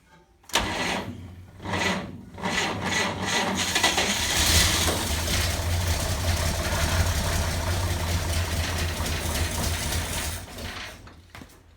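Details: 1947 GMC truck engine on six-volt battery, first start with gasoline poured into the carburetor; cranks briefly, catches, rough uneven idle for several seconds then quits; won't hold idle, oil pouring from a leak, cause unconfirmed.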